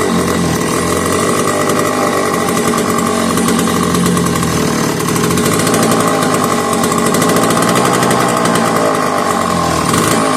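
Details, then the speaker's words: McCulloch 1-52 chainsaw clamped in vise, restarted warm with a little fuel after earlier hard start: loud buzzy two-stroke holding high revs steadily, heavy smoke filling the garage. "So I'm gonna run it anymore. I got to clear out the smoke, move some stuff off the bench."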